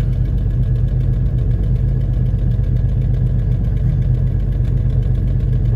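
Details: Jeep Cherokee 4.0 cold-start idle with quick light ticking, about four a second, plus loose rattling underneath; owner believes exhaust manifold gasket leak and exhaust rattle, not engine locking.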